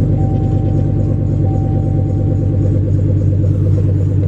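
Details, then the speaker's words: Buick LaCrosse Super at idle, many warning lights on: steady heavy low rumble with faint thin tone; owner believes it needs a harmonic balancer, cause not confirmed; abnormal engine noise. "listen to this i believe it needed a harmonic balancer"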